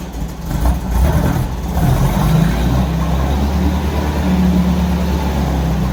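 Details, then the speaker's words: 1964 Volkswagen Beetle four-cylinder, just started, oil pressure light on then out: deep uneven lumpy idle with no steady rhythm; rough idle, owner unsure it runs on all four cylinders, cause unconfirmed. "but it really doesn't sound happy um I'm not even sure if it's running on all four cylinders because it sounds quite lumpy but um I need to investigate more"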